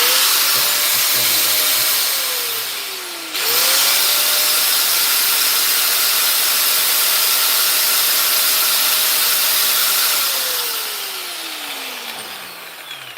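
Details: 240V Makita angle grinder, running test: steady high whine at one pitch, a short stop and restart, then a smooth spin-down with no grinding or rattle; normal running.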